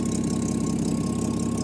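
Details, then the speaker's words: 1984 Jaguar XJ6 Series III after head gasket replacement, at operating temperature: a steady low idle beat with slight unevenness between pulses. Running a little rough, cause not yet found; an exhaust leak also remains to fix. "so yeah basically all that's left is to fix that exhaust leak obviously tidy up the wiring put the hood back of course you know also look into the reason why it's running a little bit rough"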